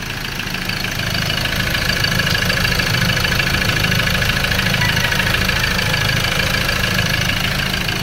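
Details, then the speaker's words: Ford Ranger 2.2 manual diesel with heavy black smoke and low power, at idle: loud rapid, fairly regular clatter, about three knocks a second, sounding like fuel knock; no blow-by at the dipstick, cause suspected, not confirmed. "Kung napapansin nyo mga kalbularyo ay sobrang knocking, parang fuel knock kung pakinggan natin."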